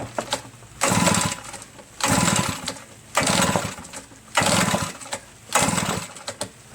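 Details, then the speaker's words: A reassembled RedMax EBZ8050 backpack leaf blower gives steady rope pulls after the choke was opened wide and brake cleaner sprayed in. Each pull is a short rasp and it never catches. Fuel, spark and compression were checked, and spark at the plug is confirmed. The owner suspects carbon-packed rings are causing low compression. "Oh man. So just because you're getting spark from the spark tester doesn't mean you're actually getting spark at the spark plug."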